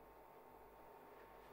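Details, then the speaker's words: Cartrend 80287 16 L 12 V/48 W soft cooler bag, after replacing the failed fan (was not spinning, overheating): faint steady even whir, nothing scratching, air blowing out; fan running normally. "okay and as you can hear or maybe you can't the fan is spinning we've got the air blowing out from one end"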